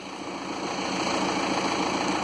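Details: 2008 Skoda Octavia 1.9 TDI, idling after new clutch, new flywheel and reconditioned gearbox fitted: steady even hum with no knocks, rattles or uneven beats; healthy idle.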